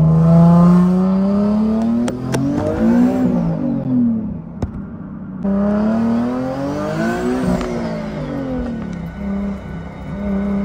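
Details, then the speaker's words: 2009 Nissan 370Z with boost turned up, in second gear at 20 mph after several pulls: revs climb and fall twice, drone stumbles with sharp pops and a sudden drop near the top; misfiring under boost, cutting then hitting boost, cause unconfirmed. "I'm in second gear right now going at 20 miles per hour it sounds like a misfire to me"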